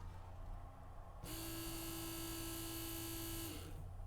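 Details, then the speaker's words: Original fuel pump from a 1969 Mercedes 280SE, sat for decades, bench-tested with impeller removed, recorded up close: abrupt start, smooth steady whir, clean wind-down; healthy pump motor. "Oh my goodness. Listen to this. Let me get it up close. Listen. She sounds really good, doesn't"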